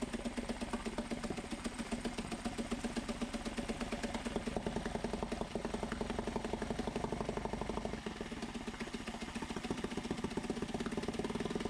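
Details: Mariner 3.5 HP four-stroke outboard after oil, gear lube, spark plug and water pump impeller service, run on homemade bench in a water bucket, neutral: even rapid putter, no misses, good water flow, running perfectly.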